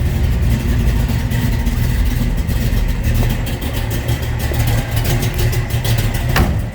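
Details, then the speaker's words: 1969 Chevrolet Camaro Z28, built 396 big-block V8 with under 2,000 miles, 4-speed manual, idling just after a cold start: deep, steady burble with even firing rhythm, no knocks or misses; healthy idle. "That was a cold start, so we're going to let this warm up just a little bit."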